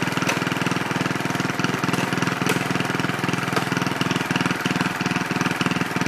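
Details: Original 1963 Cub Cadet single-cylinder on its first drive after clutch work, stack fitted: steady thumping about three to four beats a second, even with no misses; normal running.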